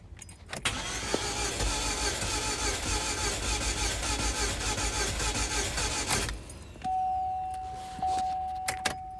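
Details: Chevrolet HHR still won't start after catalytic converter and O2 sensor replacement: starter cranks evenly for about six seconds without catching. Fuel pump works; owner suspects fuel delivery, fuel rail or injectors, or faulty recently installed Delphi coils or plugs.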